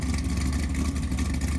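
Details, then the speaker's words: Rebuilt 1963 Ford Galaxie 500 V8 with a dual-carb setup during its first runs: a deep, strong, even roar with no misses, knocks or rattles. The engine is running healthy. "Be aware that at this time the engine's working fine, sounds like a monster ready to be let loose."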